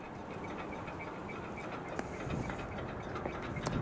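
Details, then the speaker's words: Old WRRS mechanical bell on a Rock Island-era crossing signal, crossing active with no train present: only faint, uneven clanks over outdoor hum, no proper ringing. The bell, already dying months earlier, is almost completely dead. "Hear that sort of clanking sound? That's the bell. It's a WRRS Mechanical Bell on top of the signal, and I know it was dying back in the spring"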